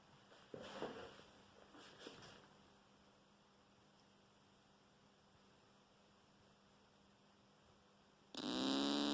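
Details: Newly built JTM45 clone tube amp with no cable attached: quiet then suddenly a loud, steady, raspy buzz; cause unknown.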